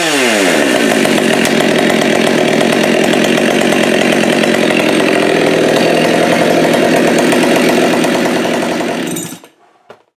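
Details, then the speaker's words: Husqvarna 572 / Holzfforma G372XT project chainsaw: revs cleanly to a high, steady scream for about nine seconds then shuts off, no bogging or stumble; muffler problem solved. "see if there's enough gas in this thing that fired up and see what it does but this solves my muffler problem there we go"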